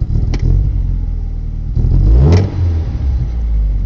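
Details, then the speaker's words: 1990 Nissan 240SX with rough, varying idle after all four injectors were replaced (MAF cleaned, TPS checked, previously idled at 800): a throttle blip bogs and falls flat instead of picking up; cause unknown. "i mean if even if you hit the gas the car falls flat on its face i mean you can hear it"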